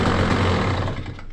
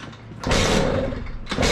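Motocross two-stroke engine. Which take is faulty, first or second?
second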